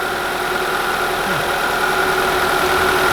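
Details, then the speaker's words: 1991 Honda Accord EX-R after replacing a faulty oxygen sensor that flooded it with fuel on hills: starts quicker, steady even idle, smoother, valve tick no longer heard. "Why is it like low-key running smoother too? You don't hear any valve tick anymore."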